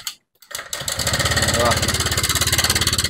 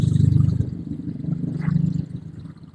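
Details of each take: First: Honda Vario 125 scooter, seat off, engine idling: fast, harsh metallic clatter about three beats a second, likened to a sewing machine or typewriter; mechanic suspects the cam chain tensioner and removes the throttle body. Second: Honda Vario 125 that had a loud clattering noise, after refitting and fixing a small metal part found to be the cause, about 20-minute job: soft, even low idle with no top-end clatter or rattle; very smooth, back to normal.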